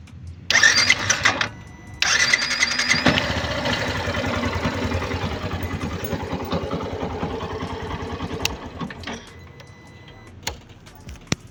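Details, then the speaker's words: Yamaha Fazer 150 after replacing the starter motor with a new one, since repairing the old one failed: short crank, then the engine catches cleanly and settles to a steady idle with none of the earlier starter noise. "E assim que ele chegou, eu instalei ele e problema resolvido. Toda aquela barulheira que ela tava fazendo era só motor de partida."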